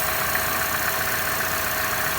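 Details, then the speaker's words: 2015 Chevrolet Corvette Stingray at idle: a steady, loud airy hiss over a smooth idle that does not change, identified as the small PCV valve sucking air and suspected to have caused the poor running. "oh yeah you hear that this is the issue here that little pcb valve is sucking"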